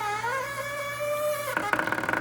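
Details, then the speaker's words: GE Profile ice machine: a steady high squeal turns to rapid clicking and clunking, about 15 per second, as ice backs up and jams solid in the chute. A clogged water hose was found; the unit was unplugged to thaw and clean. "It's like the ice is getting backed up in there. Maybe it'll break free. Nope, it's solid now. Yep, that's exactly what's happening."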